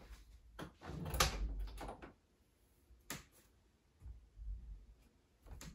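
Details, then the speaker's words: A door hinge after its bone-dry pin was rubbed with bar soap and refitted: the door swings with only soft thumps and latch clicks, and the hinge no longer squeaks at all. "that right there that's probably one of the easiest squeaky door fixes you'll ever see"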